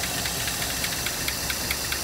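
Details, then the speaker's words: 1956 Buick Century, original car that probably sat for years, engine idling quietly with a steady light top-end tick about five per second, possibly a lifter not pumped up; left running to see if the tick goes away. "I think we'll just let it run for a little bit and see if the uh if that tick goes away"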